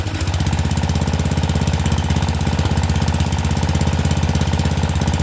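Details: Murray Select 30-inch riding mower, first start with the air filter off, after getting the safety plate down: a loud, uneven, lumpy single-cylinder thump at low idle. It runs rough, "not the greatest, but it runs"; cause unclear.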